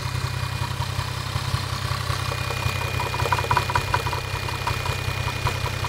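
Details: Toyota 1JZ-GTE VVT-i engine at steady idle with a sharp metallic tick about two to three per second; knock from inside the engine, cause not pinned down.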